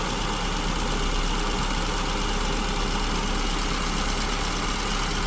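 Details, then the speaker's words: SU-carburetted engine at idle while the mixture is richened from lean (lambda 1.09–1.10), set with tachometer, vacuum gauge and wideband: steady low even rumble without misses or hunting as the idle smooths, vacuum needle stabilizing around 15 inches. "Okay, we're getting close. I can hear the engine smoothing out. Almost there."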